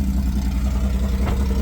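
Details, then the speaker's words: Vehicle with 208k miles and an almost full fuel tank, started on a jump pack at a scrapyard scale before being parted and scrapped: low, even idle rumble with a steady beat, no knocks or misses; idling smoothly and healthy. "here she goes 208k almost full tank of fuel oh yeah sounds good"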